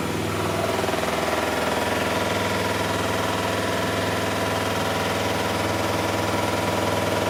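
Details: Miele Softtronic W6544 washing machine, drum loose and noisy (bearing damage questioned): steady rumble with a loose knocking beat about twice a second as the drum turns; broken drum spider (Trommelkreuz).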